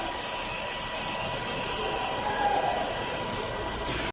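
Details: Nissan Altima after cleaning a burnt wire and electrical connection to fix a no-crank no-start: steady, even idle hum with no misses, knocks or ticks; engine running normally.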